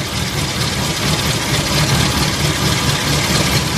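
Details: Four-cylinder car with an uneven, loping idle and an irregular stumble about 1.5 times a second. Pulling plug caps one by one showed cylinder 4 is not firing; a dead spark plug or broken plug wire is suspected.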